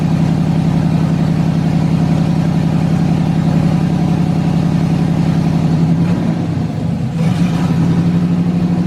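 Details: LS-swapped S10 Blazer first start, standalone harness after fuel pump priming: even, steady V8 idle with firm low burble, one brief dip and recovery, then smooth again; healthy idle and revving.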